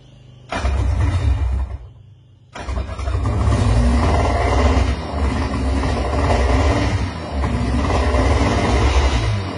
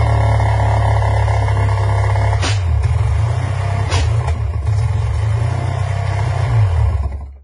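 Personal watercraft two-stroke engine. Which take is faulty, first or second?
first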